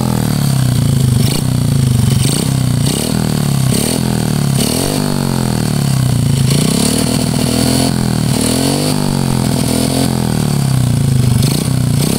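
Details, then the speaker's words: Honda Karisma single-cylinder revving with a coarse, rattly clatter on each rev rise; also white smoke from exhaust. Mechanic predicts piston needs oversize replacement plus valve adjustment and valve guide check; piston wear suspected, not confirmed. "kemudian ada suara kasar di bagian pistonnya ini kalau prediksi Saya hanya penggantian di bagian piston naik oversiz"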